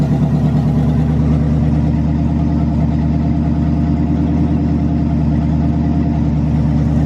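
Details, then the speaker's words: 1985 Corvette C4 V8 after swap from tuned port injection, which ran super rich and sluggish, to Edelbrock AVS2 carburetor: steady even pulse at firm idle, no misses or stumbles; normal running, much healthier. "It was real sluggish while it was running super rich on the old tune port injection setup. So now this car is running a lot healthier."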